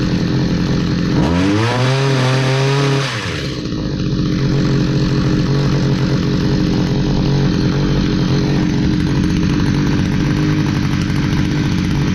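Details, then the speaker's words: Stihl HS45 hedge trimmer, long unused, two-stroke started after priming with fresh fuel and a new air filter following a customer tune-up: revs climb, then an uneven stumbling buzz that won't hold steady; runs rough, needs more work. "all okay so it ran not great we're going to need some more work on that"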